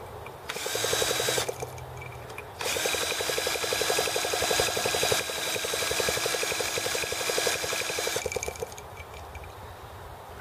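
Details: T26 model engine at 3°F (-13°C), after a valve job and rocker-arm and carb tuning: bursts of fast, even drill-starter cranking that never catch or run on their own. The cold engine won't fire; owner suspects carb freezing or flooding.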